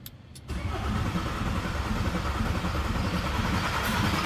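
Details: VW T4 van with the owner's old engine refitted, first start in 2 years; alternator snapped off. Catches after a short crank and settles into a steady, even diesel idle with no knocks; normal start and idle.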